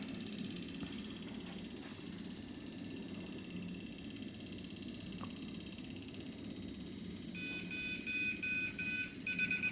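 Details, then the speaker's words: Siemens piezo common-rail injector on a tester during reassembly: rapid beeping becomes an unbroken steady tone as it is slowly tightened, showing the injector is assembled and calibrated correctly. "and that's perfect as you hear its beeping it didn't stop it started leaping and now it's just a straight beat this means that you've done your calibration wall and you've assembled it it's perfect"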